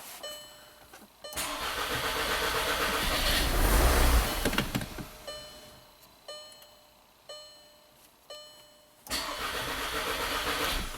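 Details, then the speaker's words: 2012 VW Tiguan turbo GDI with worsening misfire and code P0087, jumped from a fresh battery: cranks steadily about three and a half beats a second, crank-start-stall; fuel pressure only 10 bar versus 48 specified. "We got a fuel pump duty cycle there, but the fuel pressure is only 10 bar. It's supposed to be 48."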